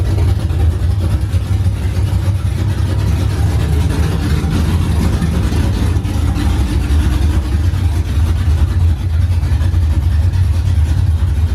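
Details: OBS truck V8 finally running after fixes, straight open headers, first fire-up in the morning: loud, deep, lumpy rumble holding a steady idle without stalling or hunting. Healthy; running fine and idling as supposed to.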